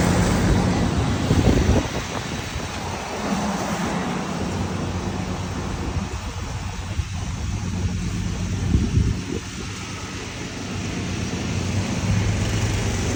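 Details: Husqvarna YTH21K46 mower, Kohler Courage 21 hp engine, 337 hours, after the exhaust was welded and refitted (it was 104 dB before): a steady low drone at an even pace, no popping or blowing leak; exhaust sealed and normal.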